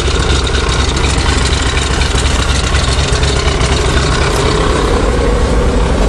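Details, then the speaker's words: Chevy 427 V8 dump truck, first start in spring, in neutral, instant start: loud deep even burble at steady idle with no stumbles or tapping, fuel pump audible; engine fine. "sweet everything's starting good glug glug glug I don't know which is louder the fuel pump with a jar"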